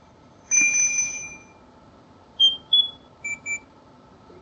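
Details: House carbon monoxide detector in alarm, shrill high-pitched electronic beeps in short uneven bursts over a quiet room; owner first suspected the battery, but fire crew confirmed CO at 50 ppm in four bedrooms.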